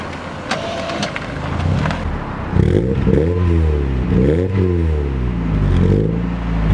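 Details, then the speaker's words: Mazda MX5 after replacing four spark plugs to fix a misfire: engine revs rise and fall cleanly with smooth, even pulling, no stumbling or popping; still bogs slightly on initial pull-off. "£8, you know what I mean, it fixed the problem. It seems to pull off now, it revs alright."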